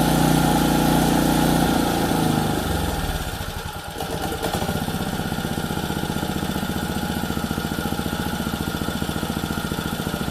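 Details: Lawn edger small engine, a no-start, after carburetor service, on bench: loud revving at first, then drops into a steady, evenly paced idle with no misses or stumbling; likely dirt in the carburetor had prevented running.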